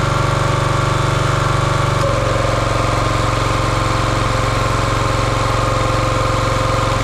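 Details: Champion 27-ton log splitter's 224cc single-cylinder engine, stored outside over a year, running after the hydraulic fluid leak fitting was tightened. Steady, even beat under a constant low drone, no stumbling or hunting. Sounds healthy.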